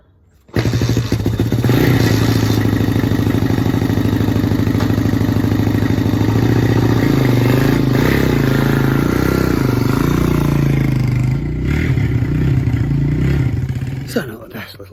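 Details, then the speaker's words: 1985 Honda ATC 200 single-cylinder four-stroke trike: fires up and pulls away steadily, firm even thump with no knocking or misses, some chassis rattle; normal running. "I'll just stick my dog inside and I'll fire it up for you so you can listen to it running."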